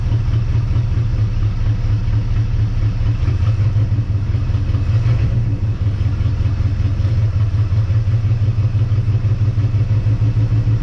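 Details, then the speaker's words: 1958 Dodge Coronet Lancer V8, barn find sat 30 years, idling with idle lowered and choke open; low lumpy stumbling beat, missing on some cylinders; owner convinced not all eight firing, timing-light test shows intermittent plug wires; cause unconfirmed. "I'm definitely convinced it's not running on eight cylinders"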